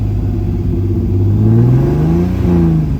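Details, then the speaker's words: Turbo M50 BMW E30 (about 500 whp), after the owner believes he finally found a long-running problem, idle steady at about 700 rpm: smooth, even note climbing with revs and easing back, no knocks or misses; normal running. "It's just sitting at 700 RPM. Yeah, that sounds about right."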